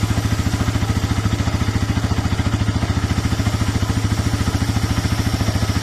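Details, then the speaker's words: Dry, unlubricated drive chain on a Bajaj Pulsar NS 200 at idle: fast, even clatter about two beats a second over the idling single; noise stops after chain spray, which is needed every 100–200 km. "NS 200 का जो चैन है ये बहुत ज्यादा आवाज करता है। बिल्कुल जैसे ही सूख जाता है तो ऐसे आवाज करने लगता है।"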